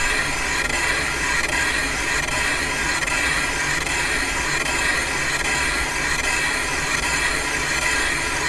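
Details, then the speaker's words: Caterpillar D2 damaged main bearing bore being machined on a lathe: continuous high scraping cut with a faint break about once a second as the tool skips across three oil holes. "sounding good we're hitting that skip again where those three oil holes are"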